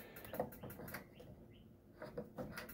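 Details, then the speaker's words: 2019 Autotrail Tribute 615 motorhome heater switched on gas: igniter clicks about four times a second while the burner stays unlit; pushing the button in lights it, stopping the clicking. "to switch it on on gas it's this control here you can probably hear that's clicking and trying to ignite"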